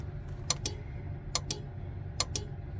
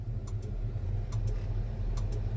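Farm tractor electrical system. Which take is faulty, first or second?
second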